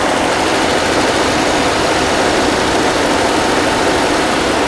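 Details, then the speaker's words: 1982 Mercedes-Benz W126 280SEL after fuel distributor rebuild, fuel pump replacement and excess oil removed, cold start: steady even hiss-and-hum at cold idle with no surging, misses or hunting; idle quite stable. "Let's take a look. Its idle speed is quite stable now."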